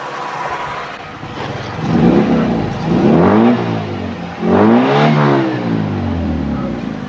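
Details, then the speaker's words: 1990 Toyota Corolla Twincam 1.6 SE Limited, 1600cc carburetor: smooth, clean revs rising and falling twice at higher rpm, no knocks, rattles or misses; engine healthy, no white exhaust smoke. "coba sedikit kita naikkan rpm-nya kondisi RPM tinggi pun kondisi mesin masih oke aman tidak ada suara suara yang mencurigakan"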